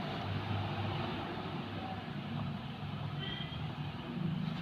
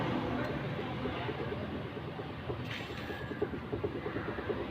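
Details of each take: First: Maruti Suzuki Alto, steering rocked after tightening the loose steering damper nut (about 1.5 threads loose), which previously knocked on bumps and steering play: steady low engine hum, no knock or clunk; normal steering, no knock. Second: Maruti Suzuki Alto steering rack: light, sharp clicks about three a second as the wheel is rocked back and forth, caused by a loose plastic steering damper bolt; it also knocks over potholes, and tightening the damper is the planned fix.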